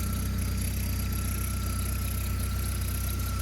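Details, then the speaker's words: Citroen Saxo VTS, abandoned about 3 years and being recommissioned: thin steady squeal over an even petrol idle, unchanging with the engine beat; slightly noisy, slipping alternator belt, otherwise the engine runs well. "but the car ran and apart from the slightly noisy alternator belt it ran pretty well"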